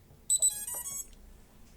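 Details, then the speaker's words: STM32 drone flight controller booting with transmitter off: short high chirps in a quick repeating pattern from the board buzzer, alerting that no radio link to the transmitter is established. "This pattern of buzzer sound outputs notifying the radio connection not been established."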